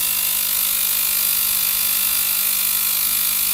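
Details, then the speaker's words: VGT 1000 ultrasonic cleaner (35W, 40 kHz piezo transducer) after repair, burning holes in aluminium foil: steady even high-pitched hiss and buzz from the tank with no breaks or rattles; working normally. "There you are. So the machine is working. This is nice."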